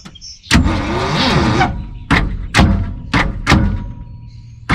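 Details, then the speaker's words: 1974 Ford F-750 dump truck, sat 4–5 years, rebuilt carburetor, fresh battery: short heavy starter bursts, each labouring and cutting off within a second, no firing; engine barely turns, suspected slightly seized, later freed by pulling with a backhoe. "I think the engine's a little stuck, so let's go grab the backhoe, maybe pull it a little bit, see if we can get it freed up."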